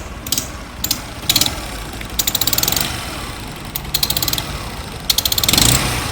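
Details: Motorcycle running with sharp rapid ticking puffs in bursts about every second, like gas spitting out. The head gasket leaks compression and smoke between cylinder head and cylinder; the fix is tightening the head or replacing the gasket.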